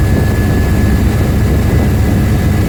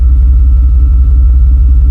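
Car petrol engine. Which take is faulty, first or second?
first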